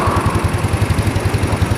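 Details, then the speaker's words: Old Yamaha Mio scooter, dead battery and blown lights, started right away after fitting regulator (kiprok) and stator coil: even, steady single-cylinder putter about eleven beats a second, no misses or knocks; healthy idle. "Mantap ya, langsung hidup, mantap, berhasil ya, motor langsung hidup ya."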